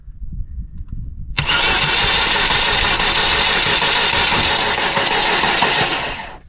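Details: Vandalized, long-sitting Saturn with no keys, during a security bypass on a cold morning: silence, then about five seconds of steady starter cranking with no catch before it drops off. Cranks but won't start.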